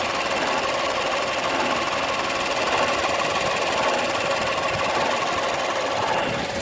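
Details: Peugeot 308 II running with steady irregular knocking and rattling and no speed change, attributed to a faulty air-conditioning compressor.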